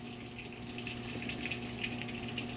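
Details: Whirlpool washer after replacing the shift actuator to fix it sticking on the sensing cycle: water rushes steadily into the tub with an even hiss, no knocks or buzzing; fills normally.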